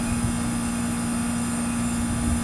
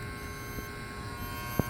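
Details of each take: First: Trane TWB heat pump outdoor unit, R-22, cooling fault, after adding eight ounces of refrigerant with hard-start kit fitted: steady low hum with constant tone and fan rush, no clicking or chattering; running normally. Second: Trane TWB heat pump outdoor unit with cooling not working; steady electrical hum with faint click and no motor running, the worn contactor buzzing loudly, fuses found blown, contactor to be replaced.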